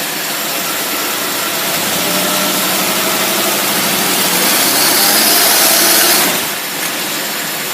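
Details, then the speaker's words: Engine on a dyno with a Rochester single-barrel carburetor, revved under heavy load: loud steady roar pulling cleanly without stumble or misfire, power valve kicking in well; normal. "Sounds good. Boy, really, power valve really kicks in good."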